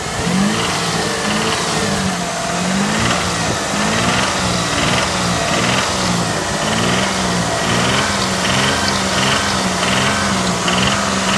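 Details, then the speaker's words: Mitsubishi Montero III 6G74 engine, 2000 km after rebuild with oversize pistons and rings and a contract crankshaft; blipped to about 2000 rpm, a knock rides each rise, normal at idle. Owner suspects connecting rod or spun bearing, unconfirmed. "Появился стук двигателя. При оборотах 2000. При газовании."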